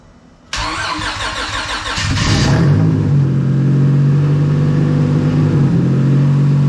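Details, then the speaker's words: Honda Civic with nitrous stroker V6 swap, first startup on untuned ECU, coolant lines not connected; cranks and settles to steady smooth idle, lower than earlier, running smoothly. "sounds much better on the idle it's a again idles at a relatively low idle compared to how it was the other day"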